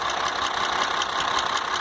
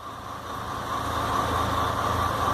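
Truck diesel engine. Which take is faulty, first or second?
first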